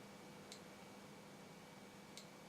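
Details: 1950s-made Geiger counter meter with a radioactive sample placed at the Geiger–Müller tube at the back: quiet hiss with two crisp isolated clicks about 1.5 s apart, reading near 1×10⁻⁴ roentgen per hour; normal low-rate detection.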